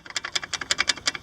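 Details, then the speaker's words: Chevy Astro brake pads replaced about 3 weeks earlier, shaken by hand in the caliper: sharp, light metallic clicks about ten a second; pads loose in the caliper on both sides, rattling while driving and wearing the pin and cutout. "basically what's happening is they shake so much they're so loose inside here I don't if you can hear this"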